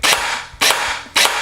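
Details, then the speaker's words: Airsoft replica after programming with an ARES EFCS programmer, fire selector on semi: three sharp single cracks about half a second apart, each with a short motor whir; one shot per trigger pull, as expected. "j'ai un coup qui est tiré à chaque fois que je presse la détente."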